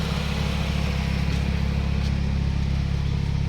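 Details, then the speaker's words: Mitsubishi 4G63 petrol engine after repair, idling with AC compressor cycling on and off well: steady, even low idle with regular pulse, no dips or stumbles; revs stay stable. "แอร์ตัดต่อดีรอบนิ่งนะครับรอบนิ่งคอมแอร์ตัดไปแล้วนะครับอันนี้ขณะเดินเบา"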